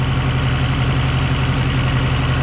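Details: 1989 Subaru Brumby 1800 4WD after radiator replacement with a Flokool RAD268 radiator and coolant refill, engine warm with the fan not yet on: steady low idle with an even, unbroken beat and no ticks, knocks or stumbles; running smooth and healthy.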